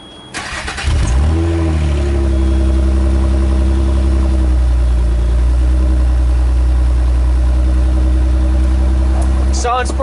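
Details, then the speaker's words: 1994 Nissan Maxima with an idle control problem, cold start after sitting about 2 hours, after ECM tuning: catches quickly, briefly flares, settles into a steady, strong, even idle; normal. "so it's a cold start I I said cold car has been running sitting here for about 2 hours it's probably at probably cold now so this is what it sounds like now after tuning with the ECM"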